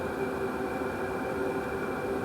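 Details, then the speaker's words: Wippro 8KW all-in-one diesel heater from Temu, freshly assembled, running on high: smooth constant fan rush with faint hum, fuel pump ticking inaudible; fan a little loud but normal operation. "it sounds really good and obviously this is on high so the fan noise is a little loud but it's nothing crazy especially for how much heat you're getting"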